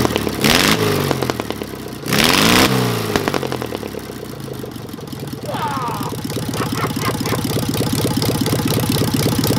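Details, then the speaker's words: Engine with Solex 30 PICT carburettor, after fixing a stuck pump ball valve and flooding from a wrong service-kit needle valve (original refitted): cranks, catches, revs, then uneven pulsing idle with skipped beats; still misfiring, popping, possibly a valve problem; timing near right. "yeah she's popping somewhere but i'd say some of it could be valve problem"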